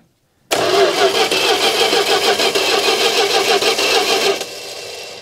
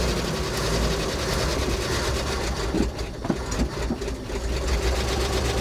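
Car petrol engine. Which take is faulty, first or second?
first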